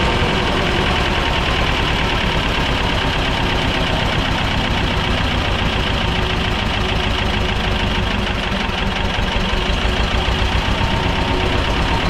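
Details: Belarus 250AS diesel tractor, about 1985, after sitting for years, first-stage filter refilled and lines bled: steady, even idle with fast regular clatter that never picks up; won't rev on its own, fuel starvation.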